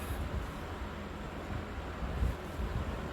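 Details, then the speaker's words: Vintage Emerson box fan, all original-looking including the capacitor, cleaned with motor oiled, on low speed in exhaust mode: steady, even airy whoosh with a soft low hum and no ticks or rubbing. Good runner; normal running. "very good runner. Leaves a nice breeze."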